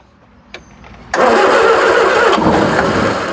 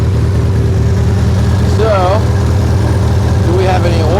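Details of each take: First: 1976 Triumph Spitfire 1500, sitting for years: a few cranks, then engine catches and roars steadily for a couple of seconds running only on gasoline and transmission fluid mix poured into the carburetor bowl, before carburetor and fuel pump are reconnected. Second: 1976 Triumph Spitfire 1500, dormant for years, carburetor never adjusted: deep, steady low idle with an even beat and no knocks or rattles; normal, healthy idle, though it still doesn't quite want to idle.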